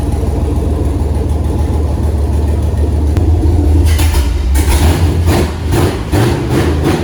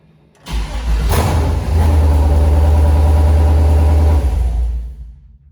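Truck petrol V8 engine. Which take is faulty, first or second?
second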